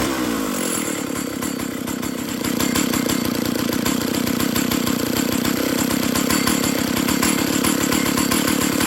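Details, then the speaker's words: 032 AV chainsaw after throttle screw backed out and bent out to cure too-high idle; picks up and holds a crisp, even idle with a regular rapid beat, no hunting or surging; normal idle, running right. "There we go. There we go, that sounds good."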